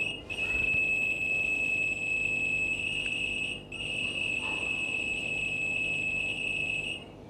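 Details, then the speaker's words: LG washer Smart Diagnosis: after pressing the temperature button, a steady high electronic tone near 2.7 kHz warbles about seven seconds, encoding error codes for a phone decoder to read. "ดังที่คุณได้ยินมาว่าเครื่องซักผ้าทำให้เกิดเสียงชนิดพิเศษซึ่งได้ใส่ไว้ในเครื่องซักผ้าแล้วพร้อมกับรหัสประเภทต่างๆสำหรับข้อผิดพลาดที่แตกต่างกัน"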